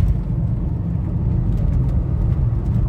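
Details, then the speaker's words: VW Touareg V10 5L biturbo driving under load after repair of the turbo intake air-pressure-loss fault (P2279/P0299, limp mode): deep, steady rumble pulling evenly with no surging or stumble; full power restored, normal running. "de souci toute la puissance est revenue"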